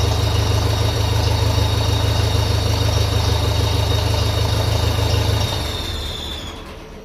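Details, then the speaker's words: 1957 Ferguson FE35 TVO tractor: high whine over an even idle that fades as the engine slows to a stop, which owner thinks shows it is only an air leak. "It is only an air leak, I think, because you can hear it going out of it as soon as the engine starts slowing down on reds."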